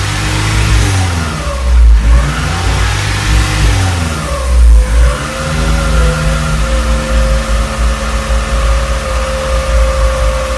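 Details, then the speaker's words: Acura Integra after injector and injector timing work: idle rises and falls every few seconds over loud exhaust rattle, an idle surge; owner is nearly sure the intake manifold is the cause, suspected air leak, not confirmed. "I'll turn it on for a little bit show you what I'm talking about cuz it now it does that Idol Sur"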